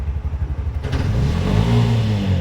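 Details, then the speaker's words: Bajaj (BS6 2024), self-starter fixed after grounding problem corrected: even putt-putt idle climbing cleanly into smooth rev, no misses or clatter; normal idle and rev. "ಸರೋಗಿದೆ ಗಾಡಿ, shelf ಎತ್ತಾ ಇದೆ, start ಆಗ್ತಾಯಿದೆ."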